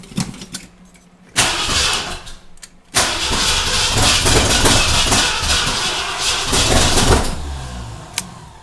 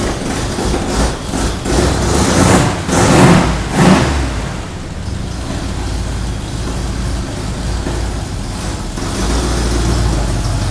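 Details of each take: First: Ford Bronco freshly rebuilt engine, first start after correcting timing that was 180 degrees off; cranks twice, catches into an uneven surging run that struggles to settle. Rough running; owner suspects timing too far retarded. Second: Ford Bronco V8 after motor rebuild, first run, recorded from across the shop; deep burble with a few throttle blips early, then steady even idle. Normal running; carb noted running a touch rich.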